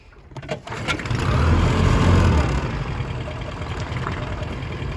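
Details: 1971 Honda B75 (B75K1) 7.5hp two-stroke outboard under way builds revs briefly, then settles into a steady, even low hum; normal running, though owner notes vibration around 2000–2500 rpm, suspects an out-of-balance two-blade propeller.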